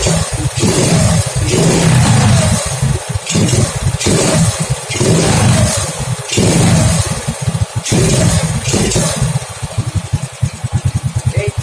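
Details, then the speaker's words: Honda Grand after a new pulser, running the previous CDI with a stock carburetor (plugs had been fouling black): the engine stutters and surges in uneven bursts and picks up late on throttle. Misfire and throttle hesitation. "Suaranya seperti ini ya, agak telat."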